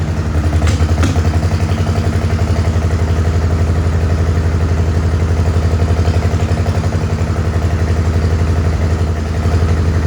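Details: Farmall H tractor at a slow, lumpy idle thumping about four beats a second, with an uneven loping rhythm and deep exhaust note, like missing on cylinders. Carb not flooded and timing found not out.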